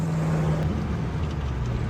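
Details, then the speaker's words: LS-swapped Hyundai Genesis Coupe V8 driving, heard from inside the cabin: deep loud drone, rough and blatty from an exhaust leak, the X pipe crossover badly destroyed; being driven to a shop for exhaust repair. "Uh, I can't wait to get this exhaust fixed. You can hear that exhaust leak clear as day."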